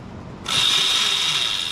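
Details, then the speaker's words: Yozma IN10 e-bike at about 300 miles, with recurring chain stretch and a chain tightened three times: rear wheel spun under throttle gives a sudden harsh metallic rattle with a high whine. The likely cause is a worn chain tensioner pulley. "So we were like, what's that racket? That's not normal. And you know we've been having all these chain problems, right?"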